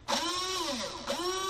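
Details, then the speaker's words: AEG airsoft gun with locked-up gearbox complaint, motor tested on battery in semi-auto: clean steady high whine that sags briefly and recovers, motor spinning freely, normal. "spinning freely motor sounds like it's working though issue everything sounds like it's correct"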